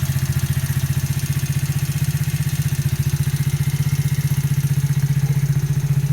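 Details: Engine with 200 km since new, valves adjusted to 0.05–0.07: sharp, even knock at about four per second riding over a steady idle; clear mechanical knock, source not pinned down.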